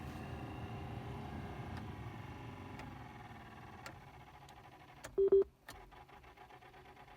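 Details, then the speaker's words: Peugeot 107 heater blower motor, right-hand drive, unused for months: thin steady hum that sinks lower and quieter over several seconds, then odd ticks, hardly blowing; motor sticking and seizing, replaced. "and now he's decided to turn it on and the blower's making this noise and it's almost stopped at some point. It's hardly blowing at all."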